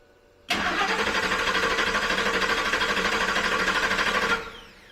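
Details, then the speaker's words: 2000 Ford F-150 with fuel pump suspected, refuelled: even starter cranking at about three beats a second for four seconds, never catching; no fuel pressure because the fuel pump isn't turning, though its relay clicks. "It didn't want it to start. And it didn't want it to start because there's no fuel pressure. There's no fuel pressure because the damn pump is not turning."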